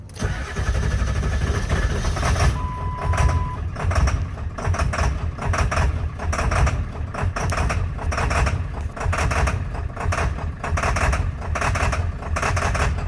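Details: 2003 Ford F350 7.3 Powerstroke diesel, cold start at 65 degrees after wait-to-start light: cranks hard, then idles lumpy and uneven with stumbling beat before smoothing out; bad injector driver module.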